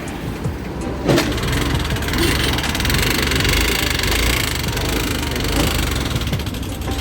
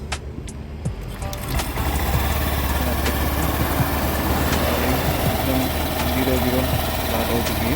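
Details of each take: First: Honda Activa 6G (BS6) scooter at 24,000 km, run without engine oil, kick-started since the self-starter doesn't work: rough, uneven running with harsh clattering over a low note; engine noise damaged by oil starvation. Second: Honda Activa 6G (BS6), 24,000 km, after engine work, plus a new air filter: smooth, even low hum at idle with no knocking or rattle; healthy.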